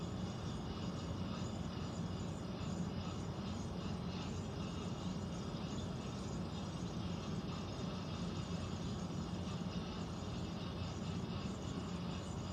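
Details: Central air conditioner air handler, heard in a bedroom and seeming to come from above the closet, gives a steady low rumbling rush of air with no change in level; abnormal noise, cause unknown, possible leak questioned.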